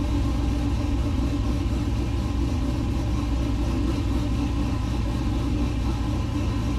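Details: LS-swapped 1969 Chevrolet C50 farm truck, just after intake install and power steering rebuild with some remaining fluid leak; steady low V8 rumble at even idle, no knocks or misses; normal idle.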